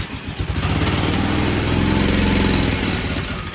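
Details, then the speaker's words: Tecumseh H35 mini bike engine after repair, starting on the first pull: revs climb and sag unevenly with no steady hold because the governor spring was not hooked up correctly. "Is that the throttle? Oh, that's the governor, which I forgot to hook up."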